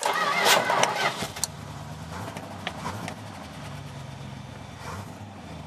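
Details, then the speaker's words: Truck starter just replaced (about a 15-minute job, battery hot cable unhooked first); on cranking the new starter gives a short harsh crank with slight gear grinding at engagement, then the engine catches and settles to a steady idle. "oh yeah she'll be all right just a little bit of grinding there"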